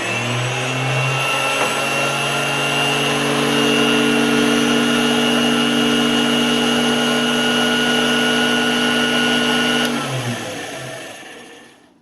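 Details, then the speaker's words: Newly acquired Dumore Series 14 toolpost grinder, test-run while making a gear arbor on an Atlas lathe, spins up to a steady, even whine and coasts down quietly. Something is bent, either the spindle or the long attachment, but it doesn't sound too bad. "doesn't sound too bad"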